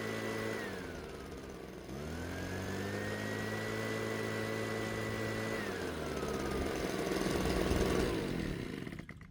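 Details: Husqvarna 130BT backpack blower after carburetor replacement and new spark plug: two-stroke idles, revs cleanly to a high steady pitch, holds, then drops back smoothly without stumbling; carb responding properly.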